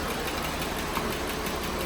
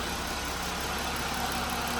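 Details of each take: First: Jeep Wrangler JL 3.6L idling: fast, even, light ticking from bank one, loudest at cylinder five near the PCV by stethoscope; suspected worn rocker arm roller, intake camshaft and rocker arm to be replaced. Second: 2018 Jeep Wrangler JL 3.6L, 79,833 miles, after replacing the worn-lobe bank one intake camshaft and rocker arms for a ticking noise and P21A code: steady, even idle with smooth low hum, no valvetrain tick, one brief clunk midway.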